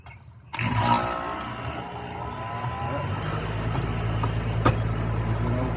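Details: Home AC outdoor unit, previously off compressor being fired up while checking inrush amps: silence, then a sudden start into a steady low hum with even fan whir; compressor and condenser fan running normally, inrush 120 A.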